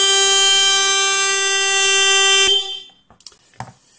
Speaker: muy buenas a todos acabamos de oír el claxon el no sé cómo se llama la bocina